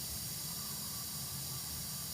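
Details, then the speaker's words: 2005 Isuzu D-Max, AC compressor not engaging, gauges reading 0 psi low and high side: steady loud airy hiss with no rhythm, refrigerant escaping from a leaking AC line joint; O-rings to be replaced. "ได้ยินได้ยินเสียงชัดเจนนะครับเสียงรั่วออกม.คนี้เนี่ยกับจุดรั่วก็เหมือนกันออกทุกจุดนี้ครับ"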